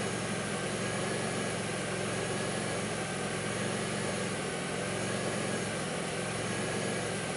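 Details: 2002 Pontiac Grand Prix 3800 with a rough idle, bogging, no check engine light and an alternator that overheats; a faint intermittent thump pulls the idle down. It idles with an uneven, lumpy beat and sagging dips. Cause not pinned down.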